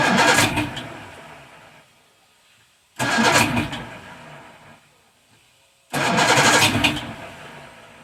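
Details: Roughly 1978 Evinrude 150 outboard on a 23 ft boat, cold, choke applied then pushed in, no throttle: three cranking bursts about three seconds apart, turns over but never fires; hard cold start.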